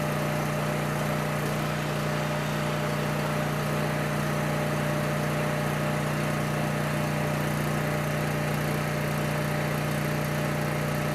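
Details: Coleman Powermate 6560 generator, after the fix for running only on choke (carburetor gaskets had been in the wrong order; oil was overfull and smelled of gas), under a 1000 W heater load: steady engine drone, constant hum, no hunting or surging; normal running.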